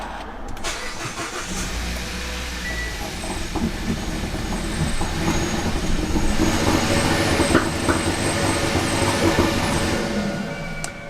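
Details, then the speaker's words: Kia Ceed GT cold start after replacing all four coil packs, spark plugs not yet changed: engine catches and runs with an uneven, stumbling beat that never settles; misfire persists despite new coils. "so we can definitely get a cold start again and then I'll turn it on and see if it misfires okay here we go Moment of Truth is it going to miss"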